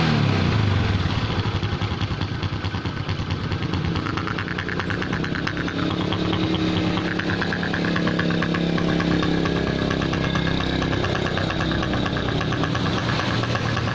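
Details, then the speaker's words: Honda Supra X125 with a snoring, growling, unsmooth engine sound; cause found to be the head breather hose cracked right at the clamp. Uneven, lumpy idle with breathy roughness that never settles; vacuum leak from the cracked breather hose. "rewo ini bro ternyata masalahnya ada di sini Oh Selangnya bocor selang"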